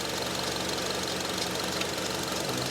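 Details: 2005 Honda Element that stalls when cold, tested at idle with scope on cylinders 3 and 4: uneven, hazy, stumbling idle with no crisp rhythm; misfire, cylinder 4 suspected rich, possibly an overfueling injector, not confirmed.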